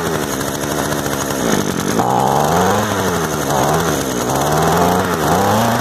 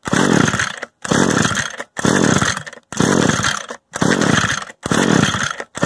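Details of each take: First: Used Echo two-stroke gas trimmer of unknown history, just started with choke turned off, idle being adjusted: high buzzing note that surges and settles, revs pick up cleanly; runs steadily, quick easy fix. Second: Echo gas trimmer with the choke on and the bulb primed: repeated recoil pulls about once a second, each a short whirring rasp with no firing. The stop switch was left on; no start.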